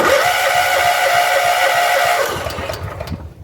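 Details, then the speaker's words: John Deere CV13S riding mower after new fuel pump, fuel line reconnected to carburetor: engine catches with uneven chuffing and thin whistle, then stumbles and fades; carburetor bowl loose and leaking fuel, carb likely needs cleaning. "I think she'll start. I don't like that sound it starts making after a second, but let's"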